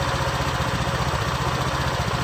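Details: Honda Vario 125 LED scooter idling during diagnosis of a total electrical failure: quick, even putter with a steady low thrum and no misses or knocks; idling healthily.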